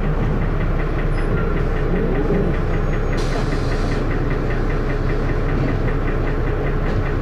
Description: First Manchester Dennis Arrow, with has a loud 'knocking' noise, and also with lots of thrash!